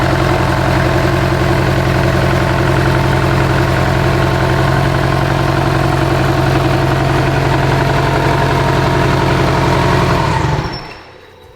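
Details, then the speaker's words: Mitsubishi Evo 8 four-cylinder being built for 800whp, first start after sitting abandoned, run briefly with no radiator or coolant: smooth steady idle for ten seconds with no knocks or ticks, then a clean shutdown; normal idle. "I'm gonna fire it first with no radiator and no coolant and all that good stuff. Run it for maybe 30 seconds max just to make sure everything sounds good."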